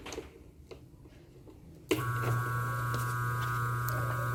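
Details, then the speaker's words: 127 V motor on an oversized 50 µF/250 V run capacitor: after switch-on, a louder steady low hum with a buzzy overtone. Current rises to 4.6–4.7 A with about 4 A in the auxiliary winding, which would quickly burn the motor. "Pode ver que o barulho dele já aumentou. E a corrente foi para 4,6, 4,7 amperes."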